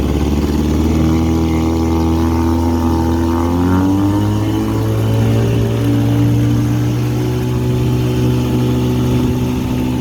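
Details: 1959 Elgin 7.5 hp two-stroke outboard on 24:1 synthetic mix, pond test after cleaning points to restore spark and repairing broken crankshaft end: steady buzz that swells briefly as speed rises then settles evenly, no misfires; running healthy.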